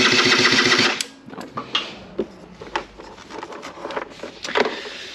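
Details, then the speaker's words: SR50 Ditech scooter, down about nine months, cranks with fast, even beats but won't fire. Spark appears once, then is lost after shutting off and restarting. A different ECU and coil were already tried; cause not confirmed. "once it has sparked it keeps sparking when i throw the spark plug in but then i shut off and start again it won't spark"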